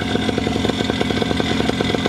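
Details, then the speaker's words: Paramotor two-stroke engine (Moster): a fast, even buzz with a light metallic rattle on each beat. The pilot suspects the exhaust bouncing; the rattle has always been there. "maybe it really is just the exhaust bouncing around that I hear because they do that you guys can probably hear it in chat too right that like rattling sound"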